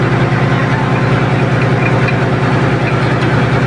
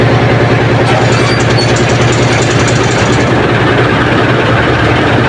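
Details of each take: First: Ship generator engine at 1,150 rpm coupled to an air compressor: loud diesel drone with a hard, regular knock about three a second from the compressor drive coupling, whose rubber bushings are missing. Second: Ship's diesel generator engine at 1,150 rpm running after repair of the noisy coupling to the air compressor, compressor still disengaged; steady even low thrum, the earlier loud noise from the coupling is gone.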